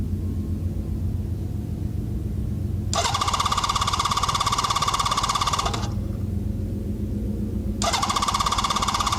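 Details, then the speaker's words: Honda CB650 motorcycle with Ricks Motorsports CDI, cold start with choke lever held by hand: rough, uneven cranking churn with bursts of a harsh high whirr that die back, not catching cleanly; hard cold start, slightly better than normal. "So let's give this thing a shot. Let's see if it starts. This is a cold start. Well, a little better than normal."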